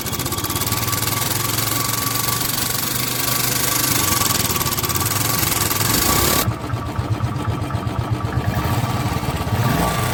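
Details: Royal Enfield Bullet Electra 350 UCE, 2017 model, after fixing very loud tappet noise: single-cylinder thump runs evenly with only a light, soft top-end tick, no loud clatter; tappets now acceptable.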